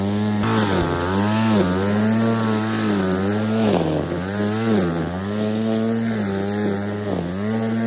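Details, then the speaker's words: Chainsaw after full service, new measuring diaphragm and vacuum test (previous air leak into carb metering side): revs up and settles about once a second, crisp and even with no bogging; normal running after repair. "there we go job done everything's been gone over everything's been checked"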